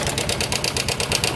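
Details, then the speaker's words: Honda Karisma motorcycle idling with a fast, harsh metallic diesel-like clatter in quick even pulses; cam chain tensioner has jumped or gone slack and must be replaced. "Nah ini tandanya permasalahannya yaitu tonjokan keteng ini sudah loncat ataupun sudah kendor yang ini jadi harus diganti Oke jadi ini penyebabnya yang buatkan suara kasar ya pada motor Karisma"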